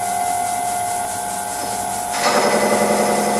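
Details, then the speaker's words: Old Karger lathe with a left-hand insert tool, something rubbing: a steady tone turns into harsh, rough chatter as the tool bites; owner suspects the insert is damaged and switches it, and the cut may have been too heavy. "That sounds terrible. I'm going to switch the insert because I think this one is messed up."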